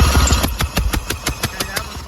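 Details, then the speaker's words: Yamaha LS2000 jet boat engine, plug out, thumb over the plug hole while cranking: sharp, even, strong chuffs; good compression on this cylinder, unlike the weak centre cylinder. "it's blowing my thumb right off"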